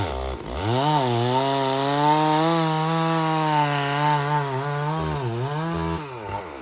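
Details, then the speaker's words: Rebuilt Stihl 064AV chainsaw still being run in, leaned out a little, cutting a large birch. It climbs to a high, wavering, slightly burbly and uneven tone at full throttle in the cut; it is still running on the rich side. "In this clip, you can hear I've leaned out the saw a little bit, so it's runs a bit stronger, but it's not there yet. It's still being broken in, so it's still rich."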